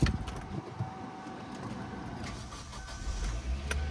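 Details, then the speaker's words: Used Kia Sportage with about 230,000 miles, first start after purchase: catches straight away and settles into a low, steady idle with no belt squeal or whine; clean healthy start. "oh it runs great no squeaky belts it's the first uh Sportage we bought without a squeaky belt"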